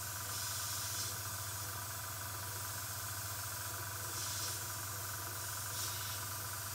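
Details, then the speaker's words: Upgraded air assist nozzle on a 10W Endurance laser fitted to a CR-10 3D printer, new compressor running, high air velocity, partly blocked by a finger: steady loud air hiss with only a faint low compressor hum; blowing normally. "it's quite loud if I put my finger on top of it it's not quite as loud as if it's blowing on through here but there really is what a lot of velocity in the air that's coming out here"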